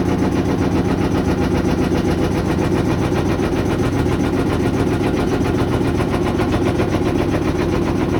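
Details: GE stacked washer-dryer GUD27ESSM1WW: loud, rhythmic banging of about two to three thumps a second during the spin cycle, even when the drum is empty.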